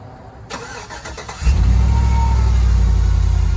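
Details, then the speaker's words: 2004 Chevy Tahoe Vortec V8 (6.0 or 5.6 L, unsure) with 190k miles on it: cranks about a second, then catches at once into a smooth steady idle; normal start. "So I'll start it up and you guys can listen to it because it sounds pretty good. For 2004, 190 on it, it starts like that."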